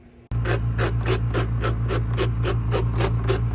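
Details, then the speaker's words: Bernette B65 sewing machine, before repair: steady motor hum with a dry rasping scrape about three times a second when the bobbin winder engages; dry bobbin winder clutch needing cleaning and lubrication. "so when it gets dry or you put some oil in there maybe sometime customer put oil in there and it gets dry so that makes a loud noise"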